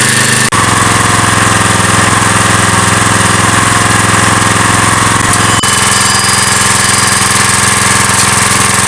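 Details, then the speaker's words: Briggs & Stratton vertical-shaft (lawnmower-type) engine on a generator salvaged from the tip, 40-odd years old: smooth, even governed drone with steady beat, no knocks or misses; working fine. "đó là động cơ Briggs và Straton điển hình của bạn và nó hoạt động tốt sau 40 năm lẻ"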